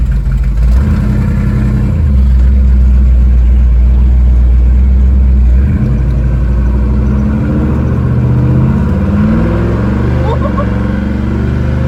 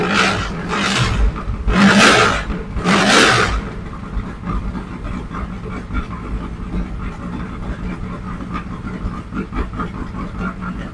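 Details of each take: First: 1967 Mustang fastback V8 after valve lash adjustment (passenger-side valves had zero lash): deep, even burble at a smooth idle that picks up cleanly on a blip, no misses or knocks. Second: 1967 Mustang fastback (Shelby GT500 style) V8 before repair: fires and revs in bursts then drops to uneven stumbling idle; rough running later traced to valves set with zero lash.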